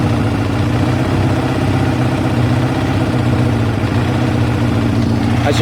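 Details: Kawasaki ZL600 after new battery and air filters, first start before warm-up, exhaust smoking: steady, even, smooth low idle with no misses, knocks or rattles; healthy.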